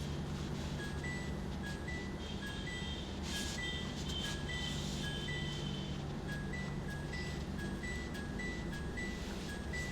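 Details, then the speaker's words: Midea washing machine in test mode, cycle test (CYC): turning the knob gives a short high beep for each step, repeating about every half second to a second, and the light should move. Normal control panel test-mode beeps. "ये जो functions हैं, जब मैं knob घुमाऊंगा तो हर knob के ऊपर एक बीप साउंड आएगा और लाइट को मूव करना चाहिए।"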